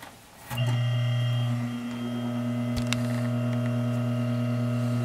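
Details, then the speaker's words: 12-inch Penncrest box fan, General Electric motor run unloaded with blade off, before oiling: click then steady clean low hum with no rubbing; spins freely, draws about the same amperage as with blade. "pretty funny that it draws pretty much the same amperage with the blade off"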